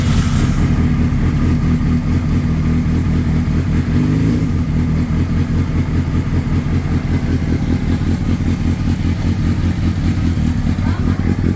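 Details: 2004 Honda CBR600RR, hard starting fixed with an aftermarket starter motor; the cooling fan is not activating at 220–230 temperature: steady even engine note with a brief rev, then settling, no misses; normal running.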